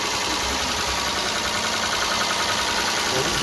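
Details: 2010 Mitsubishi Pajero after the drive belt broke, jumped the timing and bent all inlet valves. First start after replacing the valves and head gasket and refitting the timing belt. Steady, even idle with a light regular clatter, no knocking or missing; the engine sounds healthy.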